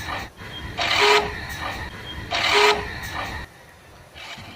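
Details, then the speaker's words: Passion Pro motorcycle on self-start: two short harsh grinding bursts each time the starter is pressed and the engine does not catch. Worn balls and bearing in the starter one-way clutch. "ये starter one way की आवाज़ है। अगर आपके one way की जो बेरिंग होती है, बॉल्स वगैरह जो उसमें लगे होते हैं, वो अगर घस जाते हैं तो ऐसी साउंड चालू हो जाती है।"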